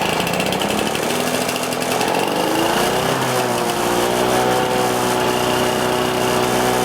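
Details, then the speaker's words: Lawn-Boy mower with Chinese aftermarket Dura Force carburetor, cold restart after about half an hour, slight choke: runs fairly steady but the note wavers up and down early; the new carb did not cure the surge; engine surging. "But the biggest thing that I'm disappointed about it is it did not cure my mower's surge at all."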